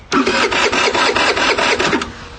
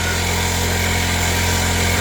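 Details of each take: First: MVP 49cc Chinese scooter that never started after being left out in rain: starter spins the engine at a steady pulse for about two seconds but it never fires; fuel not reaching the carburettor through the petcock, later traced to a rotten vacuum hose. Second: MVP 49cc Chinese scooter, new carburetor, unrun maybe six months, left idling to charge the battery: even, slightly fast buzzing idle with no hunting or misfires; starts and runs, not yet tested under load.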